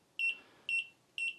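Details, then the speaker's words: Inkerma DM-262 laser distance meter in real-time continuous measurement mode: short, high, clean beeps about every half second, steady and even while it keeps measuring and tracking maximum and minimum; normal. "So when we press the measurement the instrument practically continues to detect the measurement as a result we will have different values heard which continues to beep precisely because it is constantly detecting the measurement"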